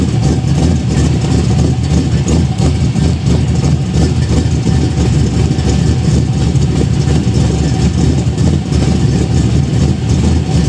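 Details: Budget Chevelle V8 after fitting a used 1970s Caprice exhaust: deep loud rumble, quieter than before, with a fast sharp puffing tick suggesting an exhaust leak near the header; suspected, not confirmed.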